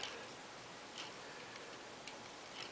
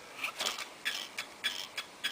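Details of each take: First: 12-speed bicycle wheel after spoke tightening to true it past the brake: very quiet spin with only a soft tick about twice a second and no scraping; wheel spins freely, one loose broken spoke remaining. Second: 12-speed bicycle wheel spinning: a light, hissing scrape about every 0.6 seconds as the out-of-true rim catches the brake pad; the fix is to loosen and retighten spokes to true the wheel.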